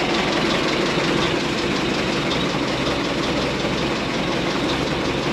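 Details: 1927 White dump truck started after 20 years idle: steady, even low idle with no missing beats or knocks; sounds like new, turning right along, 28 psi oil pressure.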